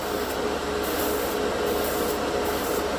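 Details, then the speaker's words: Master dual-action 0.3 mm airbrush with a small 18 PSI kit compressor spraying paint: steady compressor drone with an airy hiss cutting in and out about every second, giving pulsating bursts of air. "And then you get these bursts of air, you know. Oh my gosh."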